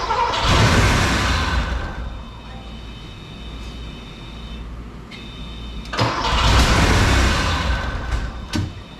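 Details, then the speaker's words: Porsche 928 V8, started after fitting all eight spark plugs and wires; owner suspects a fuel issue: two cranking bursts catch, then an uneven, lumpy idle that surges and sags. Rough idle, cause unconfirmed. "sometimes it's something simple but I think it's a little more advanced than that I think it's still a fuel issue it's still a fuel issue"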